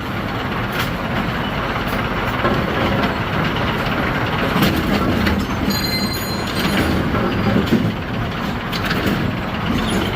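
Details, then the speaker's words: Bowling pinsetter ball lift on the next lane, cycled during a check for indexing linkage slop: steady mechanical rumble with light, even clatter, no knocks or grinding; cycles smoothly and looks good, normal. "Yeah, that looks pretty good. So everything looks good."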